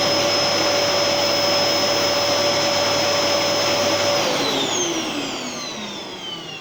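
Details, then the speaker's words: Gerer8 Power MAX 2000W vacuum cleaner on its highest setting: loud steady high-pitched whirr, then smooth falling whine as it shuts off; normal motor at full speed. "and that's its highest setting so yeah it is pretty loud actually when it's uh when it's on high"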